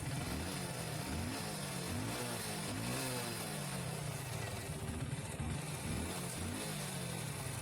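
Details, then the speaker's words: Hero HF Deluxe BS6 fuel-injected bike, started after petrol pump pressure problem and key cycled off/on to bleed air: single-cylinder putter runs steady, picking up cleanly on small throttle blips with no misses. "तो भाई गाड़ी start हो चुकी है और गाड़ी बिल्कुल Exter भर के ले रही है।"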